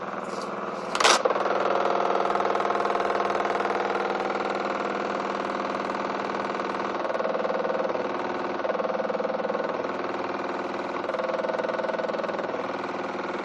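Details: New Miele washing machine from about 2014 body design, on a non-concrete floor with 1.6 kg dry laundry; noise began 2–3 weeks after purchase: one thud, then motor drone with rattly vibration swelling and easing; uploader suspects weak plastic connectors; loud spin vibration and noise.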